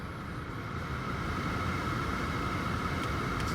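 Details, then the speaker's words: Mercedes E320 at 192k miles, new blower motor just installed: steady, even fan rush at full speed with smooth hum, no chirp or rattle; old blower chirped in cold weather (fall, winter, spring mornings). Normal blower operation after replacement. "yep it's working yeah you cannot hear the uh the chirping sound during summer"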